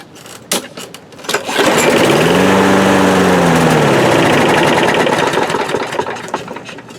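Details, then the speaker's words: Briggs and Stratton lawnmower with bowl-type carburetor, after priming: pull-start catches, runs a few seconds with pitch sagging, then dies; starts then stalls. "What we have here is a Briggs and Stratton powered lawnmower. It'll start and then it'll quit right away after it runs for a few seconds."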